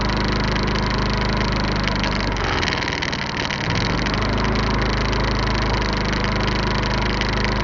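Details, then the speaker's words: iQ 3500 generator after the no-spark repair, running on the high setting: a steady, even hum with one short dip around three seconds that recovers smoothly. It runs slightly faster on high than on low; healthy. "This is on high. That's on low. Goes a little bit more on high than it does on low."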